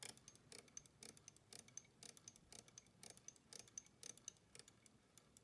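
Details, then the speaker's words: Standard Electric Time GRC clock movement in a quiet room, light crisp ticks about once a second from the floating correction ratchet on its gear; normal, nothing to worry about. "you can hear that sort of ticking that is a normal condition with these because the racket ratchet mechanism just sits you know floats on that gear and sometimes it it makes that noise so that's that's not anything to worry about"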